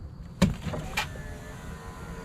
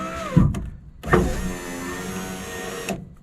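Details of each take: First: 2004 Ford F-150 after driver's window motor repair, door panel refitted: short switch clicks and brief smooth motor hum as glass travels, no grinding or binding; window works, other switches too. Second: 2004 Ford F-150 driver's power window motor, restarted after tapping it: whirs in runs of a few seconds with a dragging, sagging tone between starts; weak motor with worn brushes, replacement considered.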